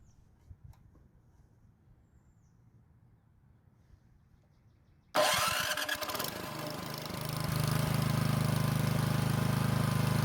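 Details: Curbside-found snow blower after clogged carburetor jet cleared and upsized, fed by temporary fuel supply: electric starter tested, cranks and engine catches, settling into even quick single-cylinder beat about four per second; running normally.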